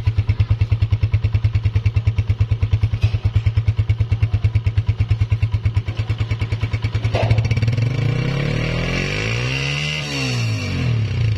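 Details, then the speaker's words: Honda CG 125 (2017, about 30,000 km) after cam gear, half kit, magnet, seals, engine oil and piston rings were replaced: even idle thumping about three beats a second, then a smooth rev up and down with no knock or rattle; engine noise fully cleared. "जी तो दोस्तों आपने इसकी आवाज भी check कर ली अल्हम्दुलिल्लाह आवाज 100% clear हो चुकी है"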